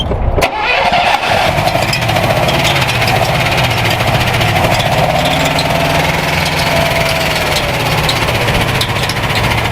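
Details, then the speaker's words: Falconstein, a 1960 Ford Falcon Ranchero/International Scout II with a Holley distributor, V8 just started to rough idle; rustling slap from a loose, twisted flapping drive belt with the fan hitting something. "Your belt is all kinds of flappy and he's not uh quite just replaced. He's uh he's got a turn in him. Look at him. And he's flapping all over the place. And your fan is hitting something."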